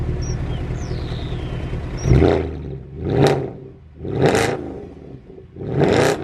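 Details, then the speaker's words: Salvage-auction Mercedes C63 AMG rolling slowly up the drive: revs surging and dropping about once a second, engine hunting while nav screen flickers and airbag and ABS lights come on; cause unknown. "Okay, something really weird's happening. The car's hunting and the nav screen keeps going. Every time it hunts, the nav screen goes in a little bit more."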